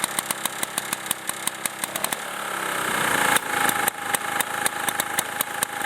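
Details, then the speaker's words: 1987 Briggs & Stratton 2-stroke 4 hp Super Bagger 21-inch mower, well-tuned carburetor: crisp, even popping at steady idle that rises briefly and settles cleanly; normal, smooth healthy idle. "so as you can hear this machine it just idle so low it's just a very well balanced engine"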